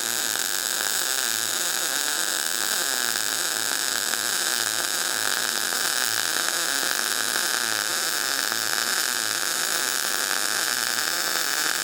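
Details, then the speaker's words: Everlast PowerMTS 141Si 120V multi-process welder in MIG mode, wire speed 160 inches per minute, voltage raised to 21 V: smooth, constant frying sizzle with no pops or sputter; a well-set, normal MIG arc. "Well, I can tell you already this thing seems to weld pretty nice. Let's go more. Let's try 21 volts. Sounds good to me."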